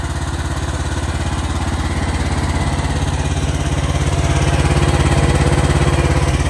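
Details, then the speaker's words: 2023 AGT Industrial QH-12 mini excavator, apparently unused, hour meter reading 50.3, with a small Briggs & Stratton gas engine, idling just after starting: even, steady low putter at about three beats a second with no knocks or misses; healthy. "I'll give you a quick little preview. Start it up here for you. Starts right up, no issues."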